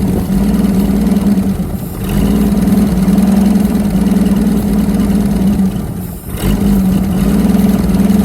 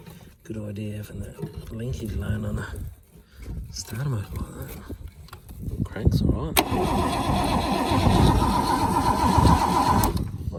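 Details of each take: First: Holden FC grey motor six-cylinder just after its first start in 50 years: a steady, even idle at about four beats per second with a smooth low hum and one brief dip; running on all six cylinders and sounding good. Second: Holden FC grey motor, first start attempt in 50 years, hot-wired coil with no resistor, fuel plumbed but likely not picking up yet, sparks present: starter turns the engine over at a steady four beats a second but it never catches or fires.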